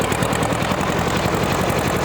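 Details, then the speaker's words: 1940 Minneapolis-Moline RTU tractor, revived with fresh plugs and fluids after a tow start, oil pressure above 40, driving in second gear: engine pulls steadily uphill as the governor compensates; normal governor response under load. "Plenty of power. You can hear that governor kick in. Hitting that little bit of a hill. Compensating very well."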